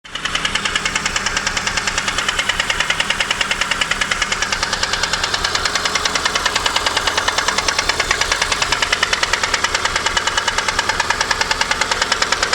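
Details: VAZ 2115 Samara 1.5 8-valve at idle: sharp, loud metallic ringing knock about three per second that appeared in the morning; valves adjusted, camshaft seems fine, owner suspects the 4th piston, source unconfirmed.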